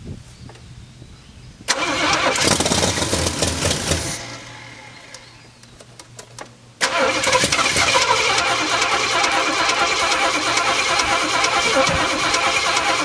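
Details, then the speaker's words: Jeep M715 army truck, converted from fuel injection to carburetor, cold: steady starter churning about three beats a second with no firing; cranks but won't start, owner suspects no fuel reaching it. "I'm going to really be surprised if this thing starts and dump you after all this time"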